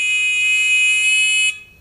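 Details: Beginner metal detector pinpointer on 5-volt rechargeable battery: steady shrill tone holds about one and a half seconds then cuts off while its sensitivity potentiometer is set to about a quarter turn; loud, very sensitive.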